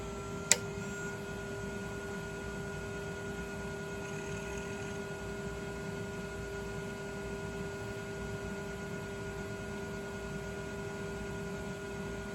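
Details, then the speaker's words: Original MFM hard drive in a 386 machine that had shown failure symptoms, spun up after a simple fix: steady, even whir with faint high tones and no clicking, scraping or grinding; drive spinning normally. "Hopefully, it just sounds like a traditional spinning hard drive and go."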